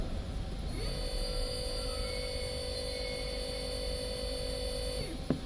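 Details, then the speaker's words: CNC router servo motor on T3D-series driver (HL-T3D-L20A-RABF), jogged at 3000 RPM with a bowl of water on it to show vibration; clean whine climbs, holds even, winds down, water stays still, no rattle; normal servo run. "A água não tem nenhuma vibração, pessoal. É muito, muito, muito top mesmo."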